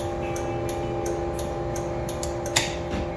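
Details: Crisp, even clicks about three a second over a faint hum: hazard flasher relay ticking normally on a DIY Tesla-motor electric kit car, some lights hooked up.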